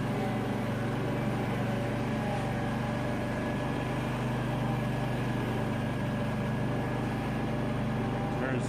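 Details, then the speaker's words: ZG222 mower, PTO engaged: engine steady but a hard droning hum from the deck, sounds rough; blades to be removed, debris pressure-washed from underneath; abnormal mower deck noise. "blades on here in just a minute that doesn't sound good well it looks like we've gotta take these blades off um had quite a nasty sound"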